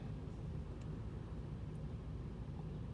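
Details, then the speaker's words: 2008 Toyota Tundra 5.7L V8, stalls at stop lights at hot idle, no codes: low, uneven, lumpy sagging idle, rpm way too low, must feather throttle to avoid stalling; cause carbon-fouled throttle body, before cleaning. "all right i'll start it back up again okay it's an idle right there first of all i want to see that i see that the rpms were too low way low"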